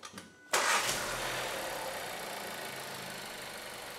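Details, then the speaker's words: VW Golf 7 1.4 TSI after piston and ring fit was corrected for oil consumption of 1 L/1000 km; first start after refitting, warming toward 90°C. Catches quickly and settles to a smooth, quiet idle with only light direct-injection injector ticking. "Słuchajcie, silniczek aż mruczy. Tylko słychać cykanie wtryskiwaczy, wtrysku bezpośredniego."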